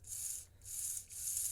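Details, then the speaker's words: Three short bursts of high, hissy motor buzz as power goes to the second pancake-drive truck of a customized Alco FA1 model locomotive before it is opened; it runs and sounds half decent, though its brushes were later found stuck. "well apparently it does and it actually sounds half decent"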